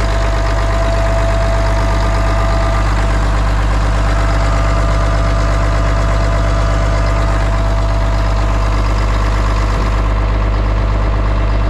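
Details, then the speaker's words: 1992 Kenworth diesel truck after start-up: loud, steady low diesel clatter at an even idle beat, no misses or surging; running smoothly. "did you tickle him she runs man oh and even idols and everything"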